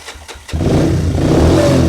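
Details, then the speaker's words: Honda CT90 with a 125cc Honda ATC engine and a modified Amazon muffler spliced to half of the original, started cold on choke after sealant cured an hour; quick cranking, then a steady, even putter, a normal cold start. "All right, it's been about an hour. The sealant should be fully cured. Let's get this bike started up with the choke on because it's cold."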